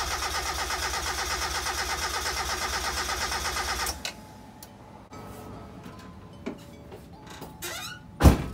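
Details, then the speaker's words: Mazda Miata engine, overheated 6 years ago and long sitting, compression test on cylinder four, usually the problem cylinder: about four seconds of evenly spaced cranking pulses, no skipped beats, reading 180; good overall compression. "look at that dude 180 in cylinder four that's usually the problem cylinder so i mean i'm i'm gonna go ahead and confirm that i got pretty good compression overall for 180."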